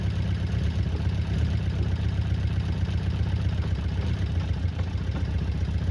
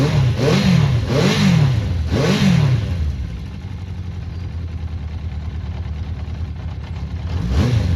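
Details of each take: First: Honda CB400 Four restoration, cold start on a freezing day after tappets found loose and reset to 0.05 mm, two inner ones still unset: steady four-cylinder idle with faint light clicking, still a little clicky but much better than before. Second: Honda CB400 Four after tappets fully reset: three clean throttle blips around a quiet, even idle with no clicking, smooth running; valve noise cured.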